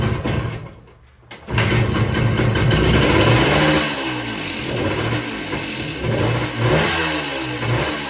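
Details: Suzuki dirt bike after carb cleaning, first start on choke with fuel: a cough, then it catches and settles into an uneven idle with a few sharp throttle blips; starts and runs fine.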